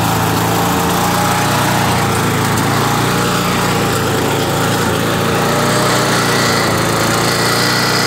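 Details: Craftsman Eager 1 mower, Tecumseh 92 cc single-cylinder engine, bought non-running, before repair: loud busy running with speed drifting up and down rather than steady; engine surging, cause not yet known.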